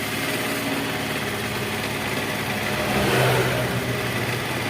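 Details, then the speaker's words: Honda Vario scooter that stuttered and died on throttle, after ignition coil and plug cap check, battery uncharged: fires straight up, holds an even steady idle with a brief throttle blip around three seconds; running smoothly. "Oke, langsung bunyi. Coba kita gas. Nah, sip ya, sudah sip."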